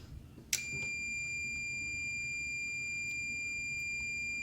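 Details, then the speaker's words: Meta Systems M76 car alarm indicator relay, removed and bench-tested on a 12 V supply: a steady high-pitched multimeter continuity beep as the relay energizes and changes state. The relay was later shown to be sticking. "can hear the meter beep in to show that the relays changed state"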